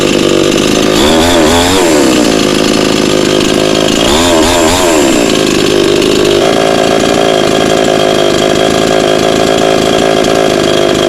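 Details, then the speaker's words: Cheap model 5200 two-stroke chainsaw, freshly started after choke use, only carb idle/throttle screw turned down slightly, mixture needles untouched: two clean throttle blips then steady even idle; normal idle. "ก็คือสตาร์ทติดง่ายดีนะครับผมแล้วก็ส่วนคาบูเนี่ยพี่โตปรับแค่ตัวคันเร่งให้มันเครื่องมันเบาลงนิดนึงแค่นั้นเองนะครับผม"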